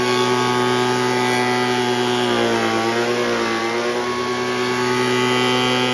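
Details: Poulan Pro 25cc gas leaf blower two-stroke, reassembled after no-compression fault, compression now about 150; high, steady buzz holding speed with brief dip and recovery mid-clip; normal running.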